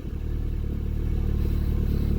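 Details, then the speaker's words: Ford Sierra/Transit 2.0 SOHC Pinto, Weber 30/34 carb, cold winter start with no choke after coolant temperature sensor replacement: lumpy uneven low pulsing with some clatter, hunting idle, strong fuel smell; rough running, cause unconfirmed. "does smell very heavy excuse the rough running"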